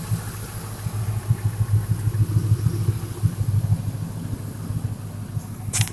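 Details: 2000 Ford F350 5.4 V8 with muffler, after intake replaced for coolant crossover leak: deep low idle, slightly lumpy but steady pulse, no hiss, knock or tick; healthy normal idle.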